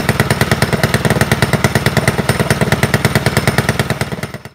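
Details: Predator small engine (open class) on first warm-up after installing an upgraded cylinder head with strong CFM and matched camshaft; sharp, even exhaust pops at a steady fast rate, no misses or knocks, then shuts off cleanly; running normally.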